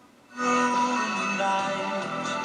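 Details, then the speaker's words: Vintage tube radio of uncertain make (possibly Airline or Granco), after repair, playing an AM station: music is clean, crisp and bright with audible bass, a steady level and no hum or crackle. Normal audio output. "And you can hear how nice and crisp and bright that is. And still at the same time, some songs you can hear the bottom end better."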